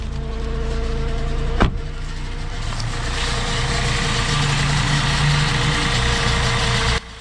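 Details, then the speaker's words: 1987 BMW 528e (E28) that sat about two years, after a no-spark issue: loud, uneven, stumbling idle with a heavy rumble; at least one cylinder seems not firing, and the loud noise is suspected to come from the transmission, not confirmed. "sounds like we've got at least one cylinder that's not firing and there is a horrendous noise coming from what we think is the transmission"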